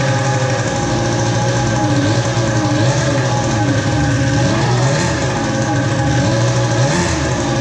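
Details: Polaris Pro X2 700 two-stroke after oil was put down the cylinder. It runs at a fast idle with an uneven, wavering beat and no clear knock. Rough running; bad fuel suspected, compression not yet tested.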